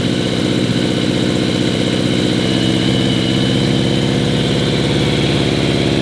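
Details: Rare vintage Yamaha Phaser motorcycle, cold with the choke pulled and carbs working well: a fast, even idle with a steady beat and no stumbles or misses, so carburetion is clean and the engine runs well.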